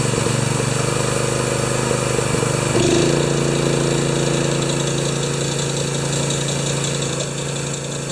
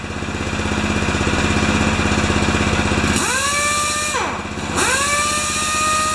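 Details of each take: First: Honda-powered wheelbarrow air compressor No. 3, revived after sitting for years, with a poor carburetor idle. It runs steady with a constant high squeak on top; the owner suspects the newly fitted V-belt has a different profile, cause unconfirmed. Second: Honda-powered wheelbarrow air compressor 'Jenny 1' after an oil change, adjustments, new Kevlar belt, new gauge and output switch, bleeding air off. A steady, even engine beat with the pump chugging, then smooth speed changes: healthy running under load.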